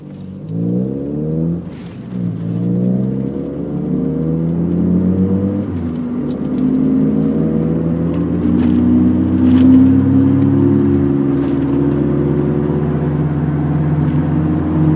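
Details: 1991 MG Maestro 2.0i at about 45 mph: loud, steady humming/whirring, growing louder over three months and with speed; constant straight ahead, deeper turning left, gone turning right; handling unaffected, cause unknown.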